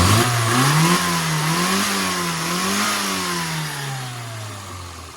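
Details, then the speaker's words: Car after on-the-road tune-up (new advanced-curve distributor, vacuum unit, points, condenser, spark plugs, damper modification, custom needle): engine pitch climbs and falls cleanly through several blips, no stumble; throttle dead spots and flat spots gone, revving normally. "as you can hear that's a lot better let's go and see what the owner thinks"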